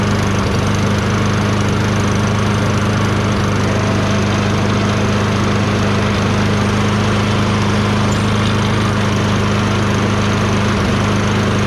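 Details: Toro Recycler 22" self-propelled mower, Tecumseh 6.5HP engine, after carb cleaning with a tiny, possibly clogged jet cleared using a thin wire bristle: steady, even drone with no hunting or surging, running much better now.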